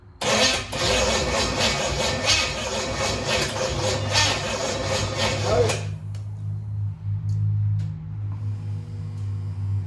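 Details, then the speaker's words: Chevy 283 V8 in a 1974 Nova, first start in 50 years, on a booster: about six seconds of steady cranking with no firing, then a low hum. Fuel and compression are confirmed. Crew suspects the timing is set backward; the battery is weak. "we know we got gas we know we got compression so there is no reason"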